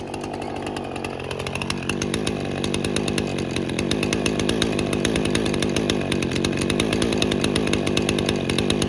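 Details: Husqvarna 455 Rancher chainsaw, revived after 3 years unused with carburetor removed, cleaned and reinstalled, cutting limbs: crisp, high-revving two-stroke buzz holding steady and strong under load with no bogging or stumbling; normal running under load.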